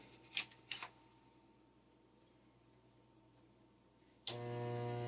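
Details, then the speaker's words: 15-inch CRT monitor plugged in and switched on with its physical switch: a couple of clicks, a quiet pause, then a sudden loud low buzz that holds; normal degauss at power-on. "Wow, that one's got a degauss. That's impressive."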